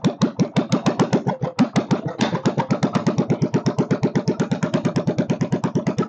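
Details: Kohler K301 stationary single-cylinder, first start with a bit of chainsaw gas mix added for lube and fuel pump leaking: pops along evenly at about 170 firings a minute, quick and busy for idle; idle speed needs backing off.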